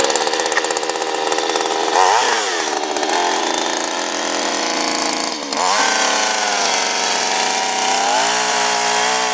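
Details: Craftsman 3.7 / Poulan 3700 saw, dated 1983, after a new carburetor and fuel line were fitted. A high, buzzing two-stroke scream pulls down cleanly into the wood and recovers crisply. It cuts and revs strongly and runs well.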